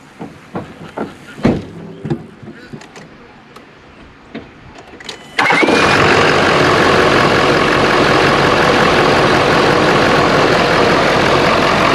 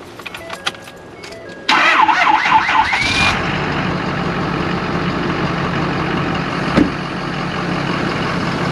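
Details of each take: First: 2011–2018 Ford F250 6.7L Powerstroke diesel started after replacing failed OEM cold side intercooler charge pipe with Sinister Diesel pipe: clicks, then steady even idle with no hiss or whoosh; repair done. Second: 2011–2018 Ford F250 6.7L Power Stroke diesel: engine catches after a short crank, then a loud steady hiss over the idle, a boost leak from the failed OEM cold-side charge (intercooler) pipe, which is to be replaced with an aftermarket pipe.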